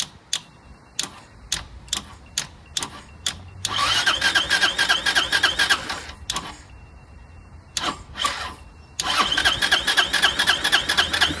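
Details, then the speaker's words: Chinese 150cc Moto Cooper Revo (CF Moto) scooter found curbside, ignition bypassed/hot-wired, starting fluid sprayed in: quick cranking bursts then catches and runs unevenly briefly before dying; runs only on starting fluid, owner suspects gas line/fuel delivery. "it fires up and runs on whatever I shot in there it actually ran for longer than I thought it would you know maybe the gas line is u"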